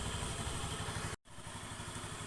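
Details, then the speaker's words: Honda Beat FI ESP scooter after replacing roller housing, its bushing, rollers, slider pieces, TPS sensor and battery: low even idle with steady soft pulses, brief cut midway, no rattles; smooth healthy idle, though slight crankshaft bearing noise noted as this model's weakness. "Ini untuk menguji kualitas TPS sama suara mesin setelah dilakukan penggantian rumah roller, bushing rumah roller, kemudian roller itu sendiri sama pisletnya. Suaranya halus,"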